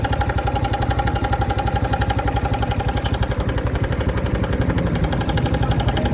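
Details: New 2025 Honda Biz engine shows a new noise after being accelerated to under 70 km/h: fast, even tapping about four beats a second over the steady idle; source not identified, cause suspected but unconfirmed.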